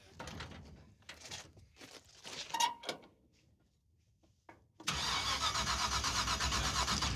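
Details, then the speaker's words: Hauler on borrowed ignition box after dying at the starting line: starter churns at an even fast beat for seconds, never fires; ignition box light blinking but no spark, rotor checked fine, distributor pickup next suspect. "It's blinking. That's weird, dude. That's got no spark."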